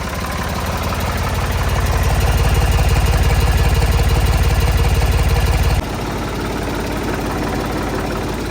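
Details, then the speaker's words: Old Ford diesel tractor just started after fuel system cleaning: steady even chug about 150 beats a minute, no misses or knocks; may need more purging but runs well. "It may need to purge a little bit out, so it may need that whole process again. But it sounds like it's running pretty good."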